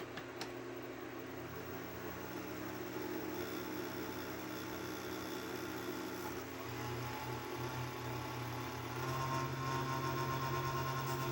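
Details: Fan in the base of a 6ft fiber optic Christmas tree: low steady hum with buzzing rattle growing louder after a few seconds; fan vibrating, mounting bracket over the fan may not stay in place, cause unknown.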